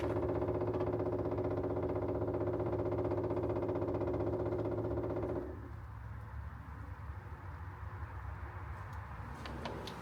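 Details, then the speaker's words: RVMP 5500 onboard generator on a Brinkley 3950 RV, being primed after switching from LPG to the onboard gas tanks: fast pump thudding that drops to softer ticking as air purges from the line. Fuel pump priming noise. "I just heard the fuel pump make a different noise. We must be getting close."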